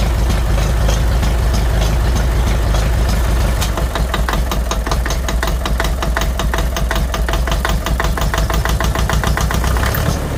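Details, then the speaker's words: 1957 Farmall 450 diesel tractor after injection pump reseal, started unexpectedly easily while cranking to bleed: deep, low clatter at fast idle, firing evenly without stumbling; normal idle. "okay so unfortunately that started by mistake I didn't think she was going to start up so easy"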